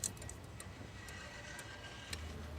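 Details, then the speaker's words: Clock movement just reassembled after repair with the back on, before oiling, adjustment and pendulum fitting; crisp, evenly spaced ticks about twice a second, normal clock ticking. "Perfect. Absolutely perfect. That's the tick that David remembers."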